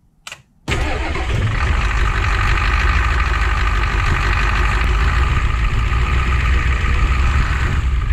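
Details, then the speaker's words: Ford 7.3 IDI diesel pickup with a stalling problem, after new fuel filter and ATF soak cleaning the injection pump (suspected rust-bound metering valve): quick crank, catches immediately, steady even diesel idle clatter with no stumbling or stalling; normal start after fix. "that ATF fluid with all the detergents and lubricants just cleared that out and it runs great guys let me start it up and prove it to you"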